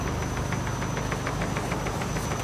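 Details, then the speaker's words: Under load on a vibration stand with clamp-on sensors, rapid even knocking about seven per second over a steady hum is traced to a worn right steering tie rod. The knock could not be found on a lift. "И вот четко сейчас нашли, рулевая тяга справа стучит."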